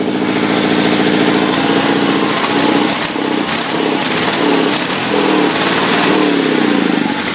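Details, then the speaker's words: 1974 Sears Suburban SS16 twin-cylinder tractor, just washed and still wet, warming up: uneven, stumbling run, owner thinks it is on one cylinder, with sharp pops about three seconds in. Exhaust backfire. Owner says it isn't drawing fuel properly and suspects one of the fuel filters. "too little bit of a good backf there so I stayed running"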